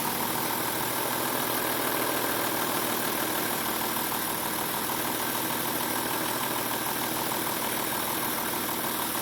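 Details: BMW M3 3.2L idling with a busy, uneven ticking at roughly three a second over the running noise; the cause is unclear, and the owner asks whether it is a VANOS problem.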